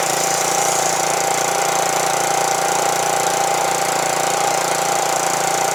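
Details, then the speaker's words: Small-engine pressure washer being troubleshot: engine runs at a steady, even drone with a constant whine and no load change; the pump makes no pressure output. "doesn't look like it works fellas I ain't getting no power out of here"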